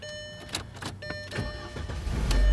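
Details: 2003 Volkswagen Passat after a no-start traced to a corroded wire (starter, battery, fuses and relays ruled out): a few uneven cranking pulses, then the engine catches and swells into a steady run; normal start.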